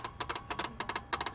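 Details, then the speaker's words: Sharp dry relay-like clicks about eight a second in a quiet cabin, from the driver's side, occurring only with the headlight switch on and stopping when headlights are off; source unknown, owner doubts an electrical short. "So that's what the headlight switch turned on. And all I'm doing is coming in, lights on, headlights off. No more sound. It's gone."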